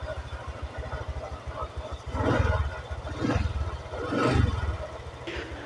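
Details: Honda Vario 125 scooter after repairing the TPS throttle position sensor to cure an 8-blink MIL fault code, sensor bolts retightened and plugs reconnected: small engine putters at a steady idle with brief swells, and the MIL no longer blinks; normal idle.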